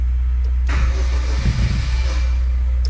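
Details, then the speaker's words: Chevrolet Celta towed in not running, before removing valve cover and timing belt: starter cranks with lumpy uneven beat, some strokes heavier, no catch; compression present but not uniform across cylinders; cause undetermined; crank no start. "ele tem compressão de cilindro deu para ver que ele tá tendo uma compressão de cilindro mas não tá uma compressão uniforme"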